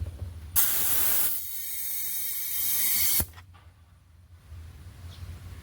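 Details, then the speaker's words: Air-powered vacuum pump on A/C gauges while zeroing them, during 1991 Buick LeSabre R-12 to R-134a retrofit: sharp loud air hiss for a couple of seconds settling into quiet low rush; drawing down normally. "So, this thing runs off air pressure. So, as soon as I plug this in, you're going to hear this thing suck down."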